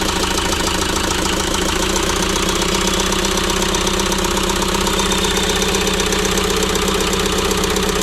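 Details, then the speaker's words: About 2006 JCB 180T compact track loader diesel idling with an uneven, lumpy knocking beat, about four thumps a second; one cylinder misfiring. Swapping the injector didn't move the fault, so compression testing is next. "so unfortunately the problem did not follow the injector so at this point we're going to go ahead and test the compression in that cylinder"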